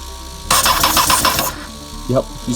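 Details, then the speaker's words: Honda FireBlade motorcycle with 25,000 miles and 150 psi compression, spark restored via the original ignition: quick uneven churning crank for about a second, then a brief second stab. "okay so major progress has been made now we have spark I was so excited that I threw back on the airbox and called my friend over and he sprayed starting fluid while I cranked the bike and this is what happened"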